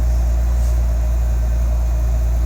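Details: Nissan 300ZX Z32 VG30DETT twin-turbo V6 with a lifter problem, while checking the cooling fan: deep steady idle hum, even throughout, no misses, ticks or hunting; normal idle.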